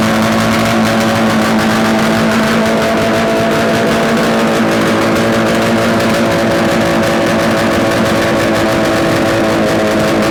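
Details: Yamaha RD250 two-stroke twin, bench-mounted on a stand with total-loss ignition, run after swapping the coil wires, with carb adjustments: loud, crisp buzz at a steady fast idle with no knocks or rattles; no mysterious noises, likely a good engine.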